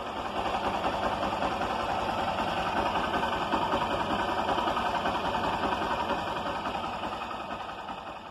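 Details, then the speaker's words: Honda Titan 160 motorcycle with a customer's engine noise complaint, found not to need an engine rebuild: quiet, even single-cylinder idle with steady patter, no top-end rattle or tapping; normal idle. "É isso aí galera Não precisa fazer o motor da moto"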